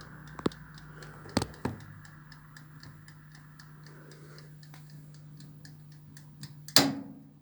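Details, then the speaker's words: 1970s Creda Compact 3 tumble dryer, 41 years old, timed dry only: light regular ticks about three a second over low hum, then clunk as mechanical timer runs out and dryer switches off; normal timer ticking. "And it's the noise of the timer. Might be able to hear it."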